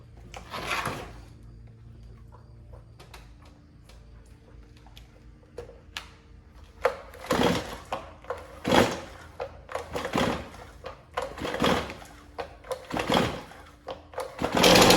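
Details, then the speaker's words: Stihl MS251C chainsaw that ran rough two weeks earlier (spark plug replaced, air filter gummed up) now won't start: repeated rasping cord pulls, about forty a minute, with no sustained firing; dirty, gummed carburetor suspected of causing hard starting. "so I'm thinking there's a carburetor problem let's dig into this"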